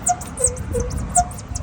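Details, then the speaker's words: Pickup truck, about 6–8 years old, recently had its leaf springs re-bent: sharp rubbery squeaks about every 0.4 s as the body bounces, from dry, badly worn leaf spring shackle bushings; fixed by greasing and new bushings. "นี่ไม่ใช่เสียงแหนบนะครับอันนี้เสียงอะไรเอ่ยช่างทุกยงโต่งเตงนะครับผมนะนี่ติดอ่ามันติดนะครับเพราะว่าถ้าเกิดใช้งานนานไปเนี่ยคือความลื่นมันไม่มีมันเนืดนะ"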